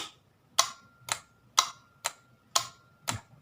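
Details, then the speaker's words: LG top-load washing machine drain motor bench-tested on 220 V: only sharp dry ticks, roughly two a second, with no pulling hum; drain motor faulty, not pulling the valve although resistance measured normal, causing no drain during spin. "ครับตัวนี้ไม่ดึงก็แสดงว่าตัวนี้เสียแต่ที่เราทำให้เรางงคือวัดค่าโอห์มปกติครับ"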